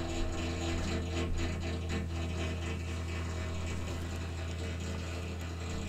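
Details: Water heater ticking quickly and fairly regularly, about four per second, over a steady low hum; it does this every evening at exactly 9 PM, and the cause is unclear.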